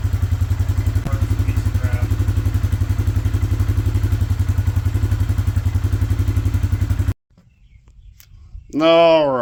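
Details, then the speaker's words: Suzuki Vinson 500 quad after a head gasket replacement: a steady, even single-cylinder thump at low idle for about seven seconds, then it dies out, apparently out of fuel. It is quiet, much better than before, though it was later found still burning coolant. "it sounds so quiet so much better than what it did"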